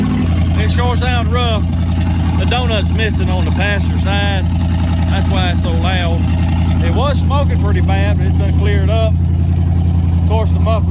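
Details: 1967 Chevrolet C50 V8 after about nine years parked, cold and running on choke: loud, blatty, uneven idle with deep throaty roar; exhaust leak from rusted-out exhaust.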